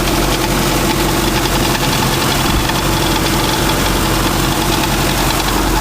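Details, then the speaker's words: 1985 Mazda ute (carburettor) after new one-piece points set, not started in two weeks, still cold on choke: steady idle with loose tinny tat-tat rattle; something loose rattling, source not found, points possibly out of adjustment. "Oh well, sounds good. Yeah, that's a bit... something's a bit loose. I'll have to work out what that is. It's just rattling around a bit, but that's pretty good."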